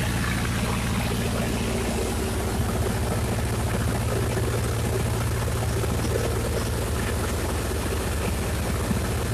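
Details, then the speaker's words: Miller Big 20 welder engine just fired up: fast, steady drone with no hunting, sounding well above its specified 1200 rpm idle (1800 rpm when welding); idle speed set too high, later corrected to proper rpm. "all right guys are just fart fired this up I think it's idling way too high it's supposed to idle at 1200 rpm and then kick up to 1800 when you weld well it sounds a lot higher than that"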